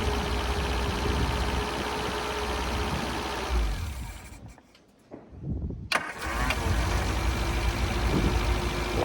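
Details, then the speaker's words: Long-unused Scamp small four-cylinder started with a boost pack on its weak battery; settles into a steady, slightly uneven idle, dipping briefly then picking back up. Owner suspects it may need a new coil and spark plugs. "he finally a little bit of success uh yeah just needed the Boost pack on there just to then it just sparked into life"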